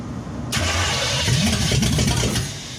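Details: 1963 Chevy C10 355ci small block (350 bored .030 over), sat for years, new battery fitted: starter turns briskly with brief catches but never settles into idle. The dead mechanical fuel pump isn't filling the carb bowls and was later replaced.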